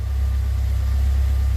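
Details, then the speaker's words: Alfa Romeo Spider, cold start after a tune-up (new cap, rotor, wires, plugs) and high-zinc oil, with good oil pressure: deep, smooth, steady idle with an even pulse and no ticks or misses. Healthy. "Cold start, good oil pressure, tach's running. There she is, just humming along."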